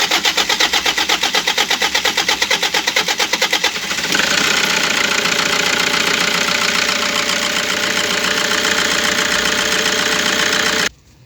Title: 2kd crank no start problem repairs